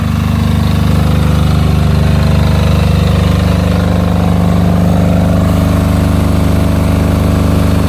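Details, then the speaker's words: Silent 5.5 kW genset, test run after purchase: steady even drone with low hum holding constant speed, no knocks or misses; healthy normal running. "mas yuk mas kita Nyalakan Mas Alhamdulillah sudah kita Nyalakan"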